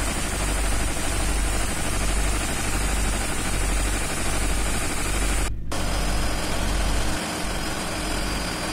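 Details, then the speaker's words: Rough diesel idle with a loose, uneven chuffing knock; compression leaking at cylinder number one injector, likely its copper ring or seal, before removing the injector. "ini bocor ya ini ini bocor ini dari suaranya sudah seperti ini ya bocor ini ini silinder nomor sat e sudah dipastikan bocor nah kemungkinan ring tembaganya ini atau sealnya ya"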